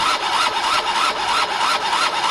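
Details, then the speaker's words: Gilera DNA 50cc scooter cranking without firing: starter whirs with an even chug about three times a second but never catches. No spark at the plug; owner suspects spark or wiring, possibly CDI. "It's only spark now that's causing the problem, I believe. If it was sparking, I'd feel it, guys, in my hand."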